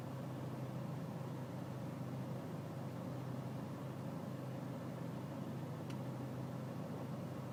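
Low steady diesel idle throb with a slightly uneven, lumpy beat underneath and no knocks; the engine is idling rough.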